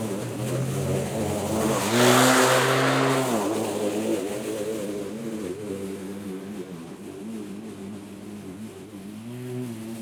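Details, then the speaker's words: Litheli 13-inch cordless battery mower mulching very thick grass: electric motor whine sags whenever the blade bites and recovers between bites; labouring under heavy load but still cutting. "This is very thick grass and it's mulching. So it's a challenge for it. But it is doing it."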